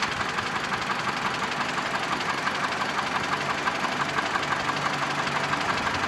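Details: Mitsubishi Lancer X 2.0 (4B11) knocks constantly at idle, cold and hot: a fast, even, light metallic tick about three per second. The knock disappears with the air conditioning on, returns when it is off, and partly fades at higher rpm. Cause unknown.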